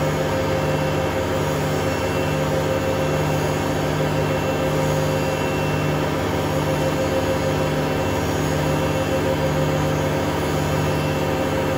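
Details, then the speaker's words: Hotpoint Aquarius WMA32 washing machine test spin, smooth before spin: constant loud roar with steady hum underneath at full spin; broken drum bearings or possibly spider suspected, new bearings and motor to be bought. "well best way to put it I think it's a bit ruined if it isn't a broken spider it's broken Barons is it"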